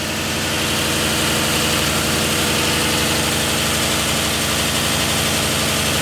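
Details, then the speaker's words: Freshly built donor Ford 302 with a new cam, fresh Rotella 15W-40, after correcting a distributor 180° out and adjusting timing: a loud, steady V8 rumble with an even firing beat and no misfire; normal idle. "Sounds good. I call that a win. I like it."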